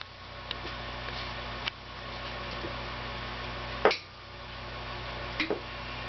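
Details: GE NOS 6JE6C tubes glowing blue with sharp isolated ticks, about four in six seconds, over a steady low hum; tube ticking, cause unknown.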